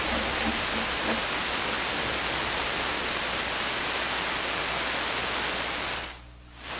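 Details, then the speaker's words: SP-600 communications receiver just after installing the rebuilt RF deck, run at reduced 92 volts; loud, even hiss with no station or tone coming through, possibly no signals. "It's very hissy. Well, it seems like it's working. Maybe there's no signals."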